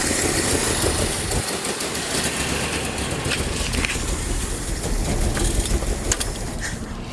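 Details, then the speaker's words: Abandoned 1982 Nissan 720 King Cab four-cylinder, carbureted, revived after about 35 years sitting and running off a gas bottle: steady, even idle with no knocking or missing and no smoke; the motor sounds healthy. "but all in all though it runs motor sounds real good no knocks no smoke"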